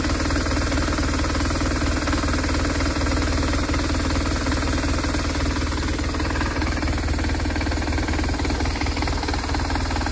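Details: BMW R1200R boxer twin motorcycle running steadily with a coarse, irregular knocking clatter over the low rumble; bad engine knocking noise, source not identified.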